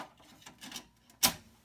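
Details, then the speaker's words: Vintage compact Mac floppy drive closing: a single crisp, quick snap with no sluggish drag; drive mechanism practically like new, normal closing. "hope you can hear that on camera how nice these drives just snap right down that is practically brand new"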